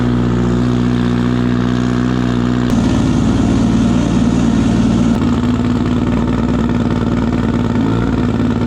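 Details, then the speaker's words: Civic build's four-cylinder engine with stock cams, boost controller and newly welded crankcase breather: a loud rowdy rumble over a few rev changes, with no knocks or belt squeal. The alternator is working and the belt is not walking, so it is running normally. "so it sounds like it sounds like it's a lot it's not locked no it's not locked for sure it sounds Rowdy with stock cams"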